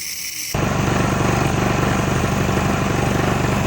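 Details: Subaru pressure washer engine with pump and hose attached, previously would not pull over: catches after a brief crank and settles to a steady even putter, about four beats a second. Engine and pump both good.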